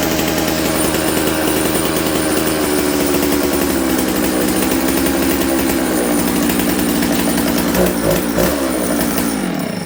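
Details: Dolmar 153 chainsaw, faulty Bosch ignition now working, low jet about 1¾ turns out with the idle screw not touching: raspy two-stroke buzz whose pitch wanders and hangs; lean running from an air leak at the carburetor.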